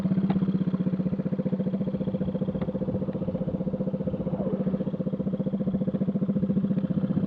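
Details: Small scooter engine running with a loud, raspy, buzzing exhaust after the muffler tip fell off on the road and the internals were lost, leaving only the empty muffler can.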